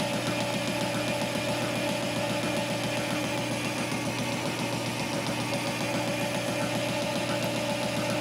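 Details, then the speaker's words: Cisco lathe boring a drive sprocket with a high-speed steel bit and boring bar at a slow feed, for a replacement motor: steady lathe drone with a soft knock about twice a second as the bit crosses the keyway; a normal interrupted cut on the last passes. "because it is a interrupted cut from the keyway right there so we're making our last passes"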